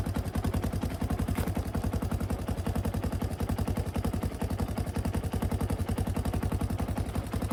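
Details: 1991 Honda TRX250X single-cylinder ATV, kick-started after a fuel-leak repair (leak suspected at the petcock): single-cylinder thumping at a steady, fairly quick beat with no misses or stumbles, running cleanly, a normal idle.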